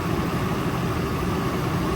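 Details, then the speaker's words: Nissan petrol engine at idle during scan-tool cylinder deactivation test for P0300 misfire; idle speed rises slightly when a cylinder is cut, showing that cylinder is healthy. "okay you hear the idle goes up so that means they all fine"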